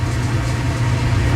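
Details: Clothes dryer running with door open while the heating element glows cherry red then cuts off, owner suspects element or thermostat: even low drum rumble with no thumping, slapping or squeal; belt drive runs smoothly.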